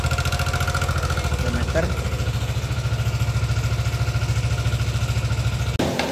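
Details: Yamaha NMAX 155 (old model) at idle: coarse rapid ticking chatter at three to four beats a second from the top end; rough top-end noise, source suspected to be either cam chain tensioner or rocker arm, not confirmed.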